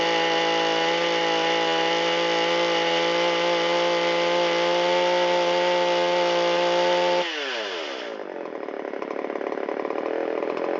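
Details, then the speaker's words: Shindaiwa 360 chainsaw, long-stored, Walbro WT-89 carburetor, reassembled with air filter and cover: clean, steady high-speed scream held about seven seconds, then pitch glides smoothly down and settles to an even idle. Normal high speed and idle return. "And we'll check the response off of idle. Settles right back down to idle nicely."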